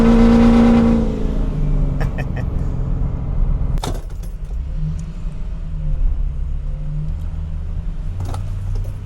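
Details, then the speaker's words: Ford 6.0 Powerstroke diesel truck, bought as a marketplace deal, driving with a deep, steady drone pulling evenly, no knocks or misses over road noise; normal running. "So now what's cool for you guys is you're gonna get to see that whole process from, you know, busted marketplace deal to a good running 6.0 Powerstroke. And as you can tell, this one runs."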